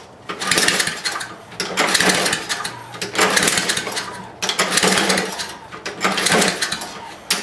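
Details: Lawn mower no-start, muffler off, choke closed then throttle opened slightly: repeated cranking bursts with loud open-exhaust pops, never catches and spits back; owner first suspected carburetor, now suspects bad magneto/coil.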